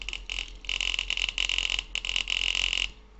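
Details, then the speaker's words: Homemade acoustic (thermoacoustic) engine, wire wool in glass tube, driving a diaphragm air pump: rapid uneven metallic clatter, about four hits a second, starting and stopping, as the bent metal rod slaps surrounding parts. "And it goes like that. The noise you can hear is the metal rod hitting everything like that."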